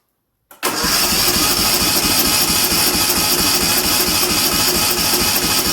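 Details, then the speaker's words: Racing lawn mower engine after a 2.4-hour race, compression test on one cylinder with air filters removed and throttle wide open; fast, even cranking with every stroke alike, reading 100 PSI (7 bar); healthy, not the 50–60 PSI taken with throttle closed. "I don't know if the camera is catching it, but it's at 100 PSI, 7 bar."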